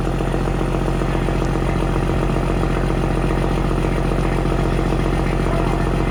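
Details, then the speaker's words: Semi truck (FLD or Argosy) with newly fitted exhaust, first start: loud, deep, even diesel idle with a steady throb, no knocks or misses, much louder than expected — normal idle. "Dang, that's loud. That's way louder than I thought it was going to be. Holy crap. That sounds so good."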